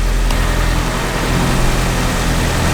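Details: Engine with eBay turbo kit, speed density tune, after alternator replacement: steady low rumble with even idle, no misses or knocks, reading 14.7 air-fuel; running smoothly.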